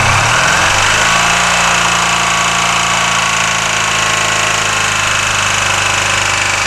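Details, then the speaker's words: 1984 Honda VF500F Interceptor, spark plug wires corrected and carb float bowl screw tightened, on choke with empty carbs: loud, rapid, even exhaust beat holding steady after a brief rise; runs as it should, though fuel then pours out. "so that sounds like it should"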